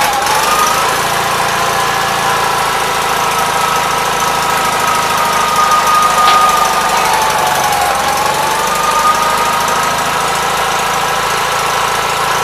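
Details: 1976 Gravely 816 single-cylinder after fixes, running again after missing fuse found; steady even fast idle with light exhaust tone, no misses; carburetor still needs cleaning. Normal running.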